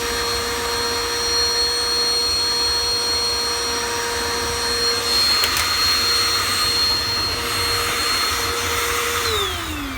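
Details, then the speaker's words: Canister vacuum after cleaning wound hair and carpet fibre from the brush bar, which was very hard to turn at the bearings. Steady high-pitched motor whine, airflow sounds strained. Weak suction; owner suspects a plugged filter (no daylight visible through it). "Not the greatest suction. Probably the filter is all plugged up too."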